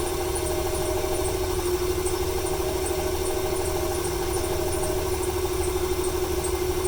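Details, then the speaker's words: 1995 Ford 300 inline-six with over 400k miles misfiring at idle: uneven stumbling rhythm, faint light ticking, squeaky belt after rain. It stutters more when gas is applied; owner wonders if fuel or timing. Smoke comes from the PCV. "It started to stutter there a little bit more when I applied the gas right off the bat. Wonder if it's a fuel issue or a timing issue."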